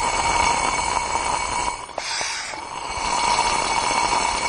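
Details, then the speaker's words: 2004 Mazda Tribute, no compression after overheating; second cylinder head, removed and pressure-tested with carb cleaner sprayed, gives steady airy hiss with wet gurgling, leaking past the valves, mainly intake, possibly exhaust too. "So that one's leaking everywhere. This head seems in much worse shape than the first one, doesn't it?"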